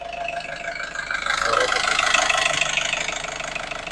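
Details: Nissan X-Trail T30 engine after warming for 10 minutes: a rough, fast crackling tick of about three per second at idle that disappears when revved and returns at idle; rough combustion suspected, not confirmed.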